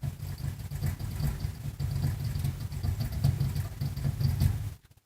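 A low hum pulses unevenly about once a second, and the motor never spins up; the blower is rocking in place without starting.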